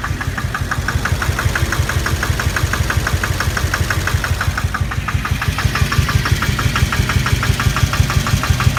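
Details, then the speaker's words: 2006 GMC Duramax diesel (LBZ/LLY) at idle after bad fuel: heavy steady knock about 1.5 per second over rough idle, "like a helicopter", with black smoke; one failed injector, knock gone when it was disconnected. "It's knocking pretty good. It's just sitting at idle and blowing smoke. It sounds like a helicopter."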